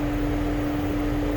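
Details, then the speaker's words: 2008 Mercedes-Benz CL500 (W216), engine running: engine cooling fan stuck on high speed with a constant loud roar; also no heat or blower, and the climate control unit isn't communicating over CAN (codes 0237, 1437, C164, C005). "you can hear hopefully my microphone is picking that up you can hear the fan is stuck in high speed position"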